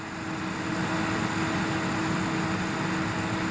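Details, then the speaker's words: Rebuilt 2005 PC under CPU/GPU stress testing: thin steady high-pitched whine and hiss, locust-like, from graphics card coil whine; pitch rises the harder the card works. "If you listen carefully, you can hear that high-pitch whine and hissing. kind of sounds like a locust, right?"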